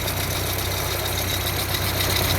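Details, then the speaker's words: Pierburg 2E2 carburettor engine at warm idle, down at hot idle speed: an uneven, lumpy, choppy beat with a rich-smelling mixture. The idle mixture is incorrect and needs adjusting to smooth the rough idle. "So, we got some adjustments to make at the idle mixture side of things. I'll show you. I'm smelling rich mixture."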